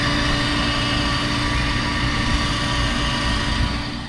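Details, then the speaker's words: 1800whp car after isolating the fuel pump mounts to stop vibration reaching the cabin and replacing leaky -12AN valves: steady engine drone with only a faint, even high hum; pump and transmission cooler now quiet, no vibration. "no vibration I'm not loud noise from the fuel pump and then the transmission cooler also really quiet right now no vibration whatsoever really really happy with the outcome"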